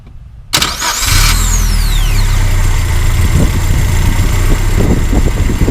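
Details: Mazda B2000 truck after replacing a worn, dripping gasket (part slightly cracked), checking for leaks: short crank catches cleanly and settles into a steady, even low idle with no misses; normal start and idle, leak fixed.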